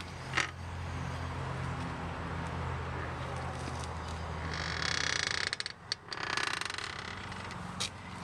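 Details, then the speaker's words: Geo Metro wheel rolling slowly backwards down a driveway gives a dry wooden creak, like a rocking chair, that varies with tire speed and also occurs in neutral. The owner suspects the axles or brakes, but the cause is undetermined. "any case you get the idea just an odd creaking sound a lot like a wooden rocking chair or [Applause] something"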